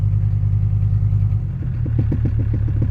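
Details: Mercedes OM617/OM616 diesel after replacing the injector return lines and fuel filters, filling the new filter and bleeding air, then starting after glow plugs with some throttle: rough uneven clatter settles into a steady, even idle knock of about three beats a second.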